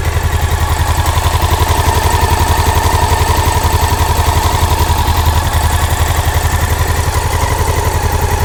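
Loud, steady clacking at about 220 a minute rides over a low single-cylinder thump at idle; the source isn't pinned down.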